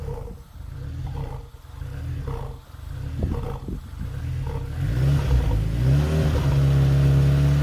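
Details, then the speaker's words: Supercharged 2ZZ-swapped MR2 Spyder on an ECU Master Black with a base tune; idle swells and sags about once a second, then runs steadily when revved; strong smell, owner wonders about 5-month-old gas: idle surge, cause unconfirmed. "it's doing it really bad right now and again the smell is awful it I'm almost wondering if it's like bad gas it's been in there for 5 months at this point"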